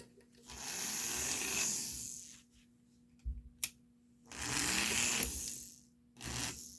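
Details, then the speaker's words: Lionel No. 60 Lionelville Trolley motor unit after repair: three short bursts of smooth even whir spinning up and down cleanly; runs quietly and well. "it works pretty good I think it's uh ready enough to be uh get the shell and all the excess all the other decorative Parts back on it's looking it sounds really good"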